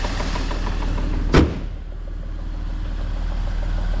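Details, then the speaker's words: BMW E46 coupe at idle, bonnet open. Steady idle with light quick ticking that is barely audible with the bonnet closed; owner thinks it is not rod knock but something in the head, unconfirmed. Top-end ticking at idle. "it doesn't sound like rod knock to me it sounds like something in the head not sure"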